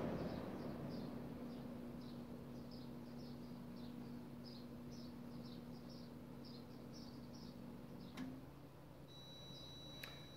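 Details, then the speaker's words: Window air conditioner in cool mode on an off-grid solar inverter; fan running, the compressor tries to start and can't. Low steady hum about eight seconds, then click and high beep as the inverter goes into overload safety shutdown; crickets behind. "okay so the compressor tried to start up it couldn't if you can hear that in the background that's the inverter that is in shutdown mode right now so it's not powering anything that's the safety shutdown"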